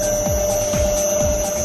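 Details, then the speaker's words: 4-pole motor on enclosed inverter at 50 Hz, about 1400 rpm, speed potentiometer turned up: steady electric hum with high inverter whistle and soft rotating swish about twice a second; running normally. "Okay, so I turn the speed potentiometer up and you can hear the motor running."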